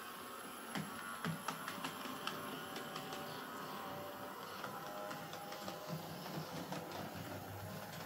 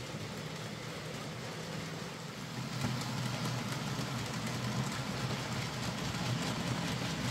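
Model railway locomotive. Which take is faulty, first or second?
first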